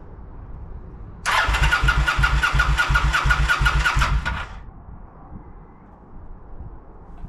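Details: Kawasaki VN900 bobber non-runner with no spark and no fuel, ECU just returned from checks with no faults or codes; starter churns in an even beat for about three seconds but the engine never catches, cranks but will not start.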